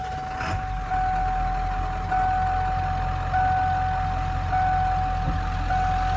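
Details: 1997 Ford F-250 XLT 7.3 Powerstroke diesel, 5-speed manual, 4x4, 69,713 miles, just started: steady even diesel clatter at idle with smooth low rumble and a chime beeping in the background; sounds healthy.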